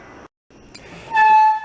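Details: Toyota Tacoma 4x4 parked five years for running issues, revived before road test: one clear, steady horn blast of about half a second, full even tone with no rasp or cut-out; horn works normally.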